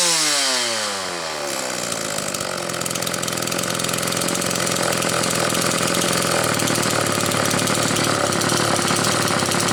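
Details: Homelite XL two-stroke chainsaw, on its final test run and tuning after the Zama C2S-H5A carburetor rebuild with the inlet needle spring correctly placed: revs climb quickly after starting, then settle into a steady, crisp buzz without bogging; running properly.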